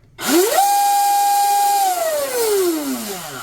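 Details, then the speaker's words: Oxidean Dominator RC boat on 8S (discharged), bench spin-up after Oxi-drive ball bearing stinger install and greasing, old worn flex cable: clean whine climbs fast, holds steady, winds down smoothly, no rattle or grinding; healthy drivetrain. "Damn, that's actually smooth sounding. That's 8S right there."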